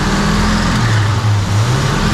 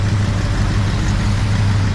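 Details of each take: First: 1966 Pontiac 2+2 with 421 V8, idling after freeing a stuck front carb float; choke not fully open and engine loading up. Thin, steady high squeal over a deep rumble: belt squeal from very rusty pulleys and a belt that could be tighter. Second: 1966 Pontiac Catalina 2+2 barn find, sat 15 years, newly fitted 421 V8, first run, warmed up, about 30 psi: steady, even low rumble at idle. Runs smooth, though the owner feels a slight miss.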